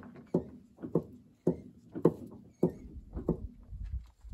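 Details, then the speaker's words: Caterpillar D7 4T dozer engine turned over by hand: dull, uneven knocks about every half second, like a tick-tock clock. Something inside is loose, so the engine was removed and taken apart. "like a tick tock clock it's not supposed to do that no"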